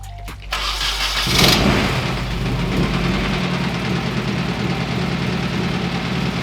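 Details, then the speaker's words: 1991 Nissan 240SX KA engine, project car being revived: it cranks, catches, then chugs lumpy and uneven like a tractor with a missing beat; zero compression on cylinder 2 while fuel is confirmed, loose cams suspected. "Oh boy. Your motor has 0 compression on cylinder 2 at least."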